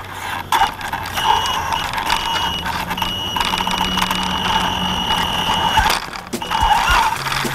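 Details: Axial Yeti RC truck driven FPV at night after the front left tire hit a tree: whirring with a repeating high chirp and an odd scraping rub that come and go with wheel speed; owner suspects a squeaky bearing and something bent.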